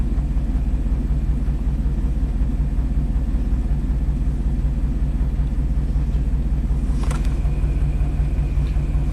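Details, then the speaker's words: Chevy Silverado 3500 dump truck, 6.0L Vortec V8, 40k miles, after its spark plug was verified and reinstalled. Still shaky at idle: a deep, slightly uneven rumble with a faint stumble. Misfire counts stay on cylinders 1 and 8, attributed to weak injectors. "this is a good indicator of misfiring see you're still cylinder number one and cylinder number eight"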